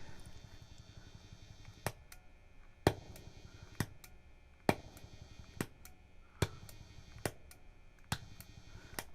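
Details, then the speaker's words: MXR Phase 90 effect pedal on battery: sharp pops at each footswitch press, often a loud pop then a softer click, over steady buzz, hiss and hum. "if we could eliminate some of the noise and the pops when you click the switch."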